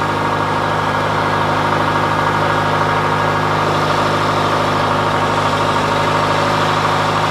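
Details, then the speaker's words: John Deere 410C backhoe diesel just fired up in winter cold after sitting unstarted a long time, battery terminals cleaned: a steady, even chug settling into a smooth cold warm-up idle, no misses or knocks; healthy. "all right well that makes me really happy that that fired up it's been a long time since I've started"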